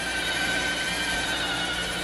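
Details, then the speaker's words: iRobot Roomba on carpet carrying 10 pounds on its back: a steady, strained whirring with a high whine over hiss. The drive motor is labouring under the load and can barely move. "so you're gonna 10 pounds with making a lot of noise and struggling yeah can barely move"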